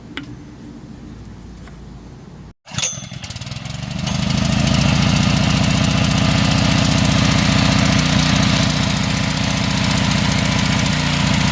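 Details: New gasoline trash pump on first start, primed full of water with cap refitted. Cranks, catches and settles into a steady, even small-engine beat with no misses or knocks: normal running.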